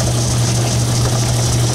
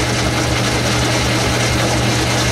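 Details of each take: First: Logan 10-inch lathe after a new drive belt was fitted and glued: even, constant hum with a steady low drone and no slap, knock or grinding; it runs smoothly. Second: Logan 10-inch lathe with a modified 12-inch gearbox, threading 2.5-inch blower studs from 3/4 hex bar under cut: steady low motor drone that sounds laboured; owner blames the drive belt, likely slipping, and plans to replace it.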